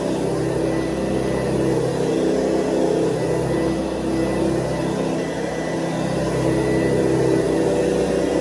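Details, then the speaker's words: 1970s Hoover Convertible upright vacuum, brushes only partly worn: a steady, even motor hum, higher-pitched than the previous model's, with no rattles or surges. Normal running. "because we go from the sort of low humming motor of before to this sound of motor, which is a little bit more high sounding."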